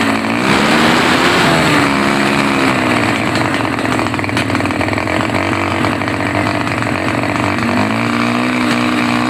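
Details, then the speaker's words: Honda GL Neotech motorcycle running but stumbling under throttle; revs rise and fall unevenly, note wavering and catching at low and high throttle alike; cause not yet confirmed. "Oke kemudian saya bermain di gas-gas itu di bawah di atas itu semuanya ada kacaunya"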